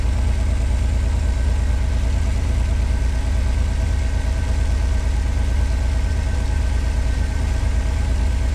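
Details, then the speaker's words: 1986 Pontiac Fiero SE V6 at operating temperature: steady fast idle at about 1,050–1,080 rpm, still too high; vacuum leaks, idle control or sensor faults suspected. "Well, she's down to 1,000 80. Still too high, though."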